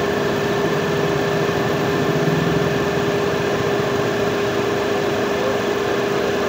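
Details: Renault Kwid Climber after water pump replacement, with coolant refilled and air bled from the heater line: steady, even idle with a constant hum and no knocking or squeal. The earlier noise has stopped.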